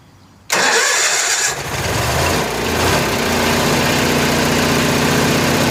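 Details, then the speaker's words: Kohler 7000 W RV generator in a GM PD4106 bus conversion, revived after Seafoam in the fuel, carburetor not yet cleaned: starter cranks briefly, catches at once, settles to a steady even hum at 1800 rpm, no misses or surging; healthy. "all right sounds good looks good good old crawler 1800 rpm"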